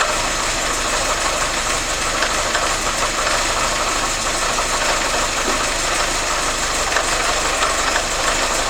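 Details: Engine knock on a 2101 at steady idle: a hard metallic knocking runs through it and rises with the revs; a definite internal knock, source not pinned down.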